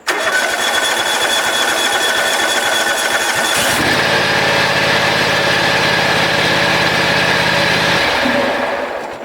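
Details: John Deere X540 mower, which came in cranking with no spark, after replacing the two failed ignition coils; starter cranks briefly, then the twin catches cleanly and settles into a steady, even run with no misses or knocks.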